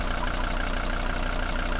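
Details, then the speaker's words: 1980 Mercedes W123 300D five-cylinder diesel just started without glow wait: even steady idle clatter, regular firing, no misses or knocks, little vibration; oil cap not moving, strong compression, virtually no blow-by. "Listen to that strong ignition and note the lack of vibration. Look at the cap. Cap's not even moving when I open it up."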